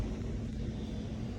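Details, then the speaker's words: Rheem blower after installing an aquastat so the fan starts once the pipe passes 120 degrees: smooth low rumble of the fan spinning steadily with no rattles or squeals; running normally. "The unit itself is running. You hear that little hum of the fan?"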